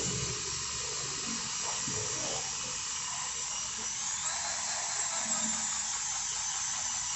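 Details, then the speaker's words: Maktec 10 mm drill that overheated and growled at low rpm, after tightening the four middle body screws: even high whir at slowest speed, no growl; runs smoothly. "Nah, di RPM rendah atau di speed yang paling lambat. Suaranya sekarang udah enggak terdengar ngorok seperti tadi ya, Guys."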